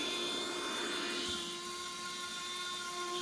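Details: Nut milk maker repaired after a no-power fault, drawing about 600 W, motor run on smoothie mode: steady, even high-pitched whir at constant speed with no knocks or grinding; normal motor running.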